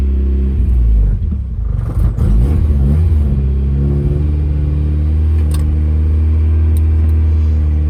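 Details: 1997 Mazda Miata started on a makeshift ignition right after a new battery was installed. It catches after a short crank, then revs and settles to a steady, even rumble with no knocks or misses. A healthy start.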